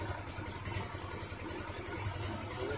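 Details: ER150 single-cylinder motorcycle, hot, just after fitting a DIY oil cooler: steady, even low putter at idle, no knocks or ticks; normal idle.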